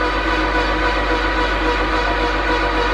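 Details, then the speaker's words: VW T4 Transporter with freshly built 2.0 20v turbo stroker and 02M 6-speed, cranking with spark plugs out and fuel pump fuses pulled: fast, even starter whirr, about four pulses a second, no knocking, about 55 psi; normal cranking. "even just turning over, it's making about what, 55 psi?"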